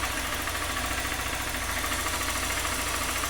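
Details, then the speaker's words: 2020 Honda Fan 160 reassembled after engine noise traced to a camshaft with a lot of play, with very dirty oil changed: even, steady idle, smooth mechanical patter, no knocking or top-end rattle; noise gone. "agora funciona ela ligar aqui a chave aí galera nada de barulho troquei o óleo tava muito feio aí a gente trocou o óleo de novo é o barulho sumiu"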